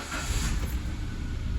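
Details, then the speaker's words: 2011 Kia Picanto with hard first start; cold start gives a deep, uneven low rumble and a metal-on-metal rattle, and it won't hold idle; the noise is intermittent, the catalytic converter fault was found by scanner, and the electric steering is stiff with its warning light on; rough idle. "Foi, mas tá falhando ainda. Ainda não apresentou. É um problema que às vezes aparece, às vezes não, pessoal. Mas é um barulho de ferro com ferro batendo."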